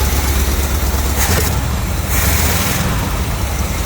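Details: 1970 Chevrolet C20 350 V8, first start in 20 years, on clean fuel from a can, smoky: lumpy, uneven low rumble with stumbles, sounds like a miss; cause unconfirmed.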